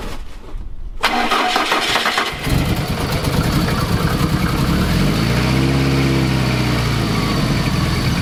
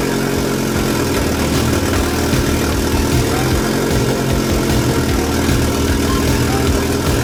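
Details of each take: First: Fiat Coupe 16V turbo after fitting a new coolant temperature sensor and a stiffer GFB blow-off valve spring: fires after a short crank and settles into an uneven idle that surges and dips; still rough, cause unknown. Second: Fiat Coupe 16V Turbo after restoration and engine reinstall, first start after swapped fuel rail feed and return lines were corrected; steady, even engine note with deep rumble, no misses or knocks, running smoothly.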